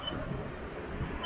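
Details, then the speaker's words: King Song KS16x electric unicycle, first ride after mainboard replacement: short high speed-limit warning beeps repeat over quiet wheel rumble at walking pace, about five (speed). "can you hear those beeps so i'm hitting the beeps guys i'm going like five"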